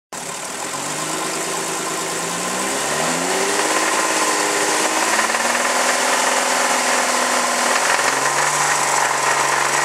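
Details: 2001 VW Jetta VR6 petrol engine idling and revving with a knocking noise under a strong hiss; cause unknown, for diagnosis.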